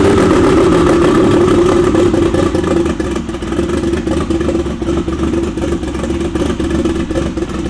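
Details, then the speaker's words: BMW E92 race car first start on a new base map, no radiator system yet: revs flare high then drop to a lumpy, burbling idle sagging in waves, sounding kind of rich. "But it definitely started, and it sounded kind of rich."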